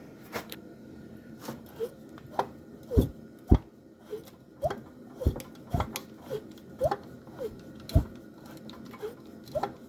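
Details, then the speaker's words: 1952 Scott Atwater-built Firestone 10hp two-cylinder outboard turned over by hand: short squeaky whistles and clunks, compression leaking from a blown head gasket near the top cylinder. "hear that Whistling noise that means it's got compression uh it's got a blow head gasket near the top cylinder"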